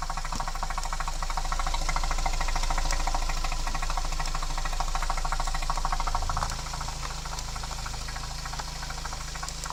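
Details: 2010 Citroën C4 Picasso I 1.6 THP 150 turbo petrol (EP6DT, 5F04) idling: steady light tick about three times a second over the low hum; engine noise whose source is not clear.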